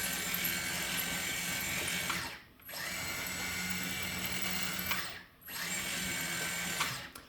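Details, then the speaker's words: Kabolite K961 excavator after the squealing-track fix, with the track refitted: an even motor whir in bursts of a couple seconds with brief pauses and no squeal. The track drive now runs quietly. "and that's how you solve your squealing track Motors on the calite excavator"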